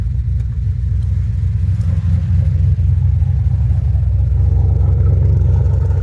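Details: 2007 GXP with Sloppy Stage 3 cam, VATS and DOD deleted via HP Tuners, first start-up, idling after turning car around, warming up: heavy choppy lopey V8 idle, no ticking or popping; healthy aggressive-cam idle.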